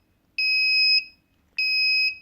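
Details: DIY propane leak detector, MQ-5 sensor with Arduino Nano and buzzer: two shrill high-pitched beeps, each about half a second long and a bit over a second apart, on a quiet background as the sensor detects gas.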